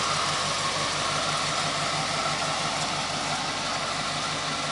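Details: 1969 Chevy Impala 327 after carb rebuild (accelerator pump fault; previously wouldn't start without gas poured in the carb): steady, even V8 idle, smooth low rumble, no misses or knocks. Starts right up, runs cleanly.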